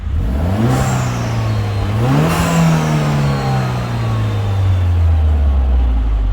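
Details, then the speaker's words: Citroën DS3 with a newly installed aftermarket performance induction kit (upgraded filter), revved. A deep, even intake roar rises and falls with no misses or knocks. There was no noticed power loss and no faults after a 10-minute drive. "yeah it sounds sounds nice right guys you can't see anything at all so this is useless but it's sounding good is this sounds epic listen"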